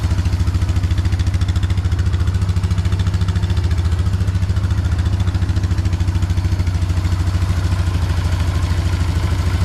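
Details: 2004 Polaris Trail Boss 330 ATV, first start after draining water from the fuel system and carburetor float bowl, on a mediocre battery with charger: steady single-cylinder thump about 3.5 beats a second, no misses; idles fine, grew snappier.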